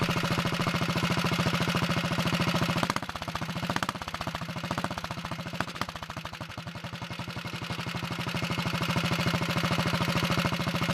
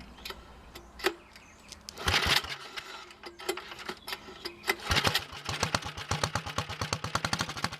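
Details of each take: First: Early 1961 Wheel Horse model 401 lawn tractor engine after getting it started, no choke, throttle opened: crisp regular putter that dips briefly with throttle then evens out; runs well, smokes a little on throttle, kill switch not working. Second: Early 1961 Wheel Horse model 401 lawn tractor, first start attempt after freeing stuck carburetor float needle, no choke: sharp raw popping exhaust beats catch and settle into a quick even rhythm, loud and unmuffled from a blown-out muffler.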